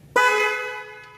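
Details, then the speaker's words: A single short, bright, steady horn blast as the horn relay is bypassed with a jumper wire during back-probe testing; normal horn operation. "And we can see that not only do our horns work, but my jumper wire also works, and I was successfully able to interpret a wiring diagram, locate a relay, and bypass it with my jumper wire."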